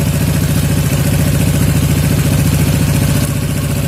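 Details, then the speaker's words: Yamaha Jupiter MX 135 (old) carburettor after air-screw adjustment (about one and a quarter turns out) for highest idle: even, low, steady putter around three and a half beats a second; revs no longer hang on throttle release, idle properly set. "Jadi segini udah pas ya. Jadi putaran gas ketika kita lepaskan dia tidak menahan ya, atau tidak telat turunnya."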